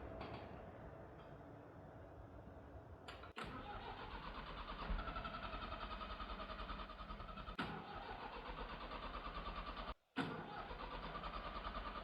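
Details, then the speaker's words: Leyland diesel tractor, about 15 years without service, cranked with the starter in several long bursts with pauses but never fires or catches; owner suspects the engine has locked up; crank no-start. "bad news tractor might be dead after God 15 years of no service I think the motor finally just locked up"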